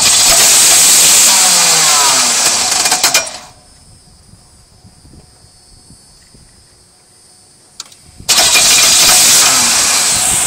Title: Engine knocking noise